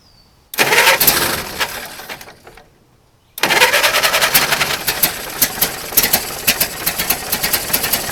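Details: Circa-1927 (year uncertain) Ford Model T pickup barn find, first start after sitting over 25 years; components cleaned, only fresh gas and crankcase oil. Catches, runs briefly and dies, restarts into a quick, slightly uneven chuffing idle, no knock; normal.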